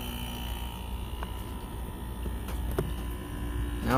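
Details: Arctic King window air conditioner found by the roadside: a steady electrical buzz with a low hum underneath while the unit tries to start. The buzz comes from the compressor; the cause is unclear.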